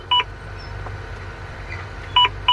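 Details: Volvo VNL truck, after replacing the small low-air-warning/turn-signal speaker behind the gauge cluster, test with the cluster plugged in: short electronic double beeps repeat cleanly over quiet cab hum; warning sound working again.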